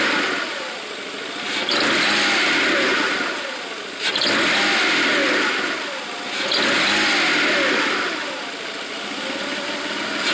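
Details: 1995 GT at idle: the idle rises and sags about every two and a half seconds instead of holding steady. Owner reports the engine stumbles on throttle, then revs with a misfire-like feel and slow acceleration; cause unknown.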